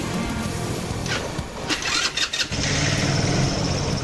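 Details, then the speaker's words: Rev-X 125 motorcycle, owned about 3 years, converted to DC with a fully charged battery, carburettor uncleaned for years: engine catches briefly, sputters unevenly and dies; it also stalls on throttle, and the carb and electrics are suspected. "talagang umandar at namatay talaga siya."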